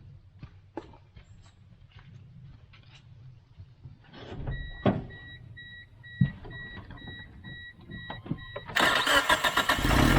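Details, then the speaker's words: 1996 Tracker on its first start after a fuel pressure regulator replacement (cheaper part), with no leaks: cranks and catches at once into a steady idle. It runs smoother than before, with slight hesitation on first tip-in. "Okay, it's even running smoother than it was before. Still has a small amount of hesitation."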